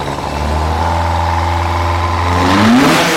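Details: Fiat 127 engine, first start after a 5-month rebuild: steady, even idle for a couple of seconds, then a clean rise in revs, no knocks or misses; runs healthy.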